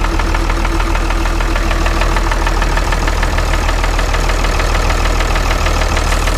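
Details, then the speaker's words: Ford 2704ET diesel in a TR70 combine after a head gasket job, restarted with fresh oil: a loud, steady low idle thrum at about three pulses a second. The earlier knock is gone; owner thinks fresh oil fixed it. "I got it running again here for a change you ought to look old pretty sure our knock went away I guess I just needed fresh oil or something"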